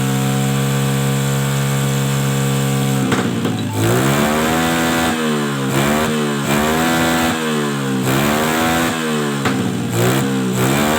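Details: Suzuki Smash carbureted motorcycle after pilot jet work: idles evenly, then each throttle blip rises unevenly and stumbles on the way down; intermittent misfire (brebet) when revving, leaking valve suspected, not confirmed.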